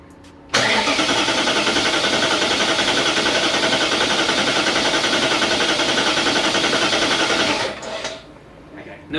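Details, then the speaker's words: Supercharged S62 E39 BMW M5 after rod bearing replacement, cranking with fuel pump disconnected and supercharger not connected, battery not recently charged: brisk, even cranking about 3.5 beats a second, equal compression, quicker than with plugs out during the compression test; normal cranking. "it's cranking very quickly yeah looks like it cranks quicker with compression than with no plugs it hasn't been set on charge"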